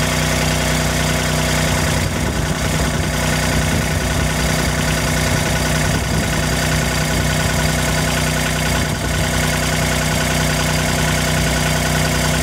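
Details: Kubota RTV1140 with D1105 diesel, first start after water pump replacement (failed shaft seal) and V-belt retension: steady, even chug with no knocks or misses; healthy idle.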